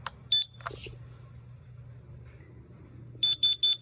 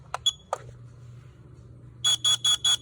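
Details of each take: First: CanCOB alarm version with ppm screen (peak reading 12 ppm) on test button: a couple of early chirps then four sharp beeps about a quarter second apart, higher pitch than the LP2; normal test tone. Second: CanCOB LP2 smoke alarm test with tape over the sounder: four short shrill beeps in a quick even burst, thin and muffled by the tape, so the alarm does not sound good.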